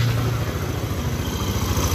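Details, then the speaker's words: Yamaha Nmax scooter after replacing the cam chain tensioner for a rough knocking engine, intake hose still detached: very smooth steady idle with no knocking, only some air noise from the open intake. "benar sekali awan bunyi motor dan bunyi mesin langsung sangat-sangat halus tidak ada kendala apapun"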